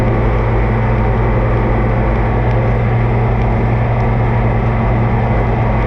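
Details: Oliver 2255 front-wheel-assist tractor on a test run after an oil service of engine, transfer case, front axle, rear end and hydraulics: a steady diesel rumble with a deep, smooth firing beat and no knocks or misses. Normal running; owner says everything done is fine.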